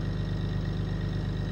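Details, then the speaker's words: 4th-gen Cummins single cab with Ohio Diesel extended shifter and dual-disc clutch, radio off: steady low diesel idle with a fast busy rattle from the extended shift lever chattering, worse with the dual-disc clutch. "What I do not like about it is it rattles like crazy. I'll start the truck up and you can hear it. Turn the radio off. Hear how much it rattles, especially with my dual disc clutch. It rattles a lot, but I'll get used to it."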